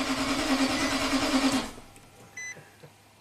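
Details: 2009 Nissan Titan V8 with 130k miles, no-start when cold after a limp-home incident and battery replacement: brief starter churn, about three turns a second, never catching; ECM and ignition relays stay on but the injector isn't firing.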